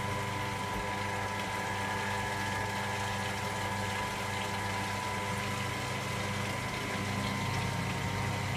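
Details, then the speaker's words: Electra AWF683 washing machine on a Boilwash 95 + Prewash towel load: drain pump gives a steady, even drone with a constant hum and watery rush, with no rattling, grinding or surging; normal drain pump operation. "I love the sound of that pump. It's nice, isn't it?"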